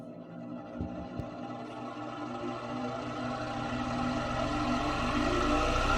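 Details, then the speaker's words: Vintage ILG 24-inch Type Q air circulator fan on original 6203 motor bearings before replacement: motor spins up with a rising hum and a dry, crunchy, gritty rumble from worn bearings. "They have a nice dry sound to them."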